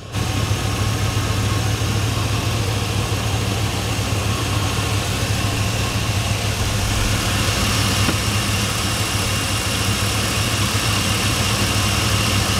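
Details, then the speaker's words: 2001 Chevy Silverado 1500 Z71 4x4, 5.3 Vortec V8, under 100,000 miles, fuel pump and sending unit replaced, good coolant temperature and charging: steady, even idle with a smooth low rumble, no knocks or misses, running good. "Oh yeah, it's running good. I'll let y'all listen to it for a second"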